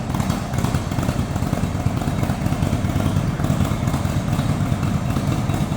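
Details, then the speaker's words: 2015 Indian Roadmaster Touring V-twin with 39,518 miles, idling in neutral: a deep, throaty, loping rumble, steady with no ticking or clatter; healthy idle. "Let's go ahead and start this up. Nice sounding, nice throaty rumble."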